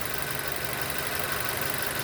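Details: 2006 Nissan AD Y11 QG15 e-throttle engine during cam-crank correlation test, VVT solenoid commanded via scan tool, vacuum normal around 20: quiet, even idle with no misfire, roughness or tapping; running normally.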